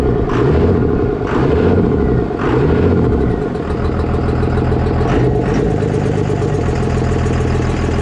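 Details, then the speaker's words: 24-valve diesel pickup, first start after injection pump swap: diesel settles into an even, steady idle after a few throttle blips, normal clatter; normal idle. "guys can tell, the truck does run. It sounds like it's running pretty good."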